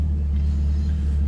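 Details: Chevrolet Camaro with AEM cold air intake idling after repair: the MAF harness had rubbed on the power steering pulley and shorted a fuse; wires butt-connected, codes cleared, no trouble codes. Low, steady rumble, no stumble, tick or surge; normal idle.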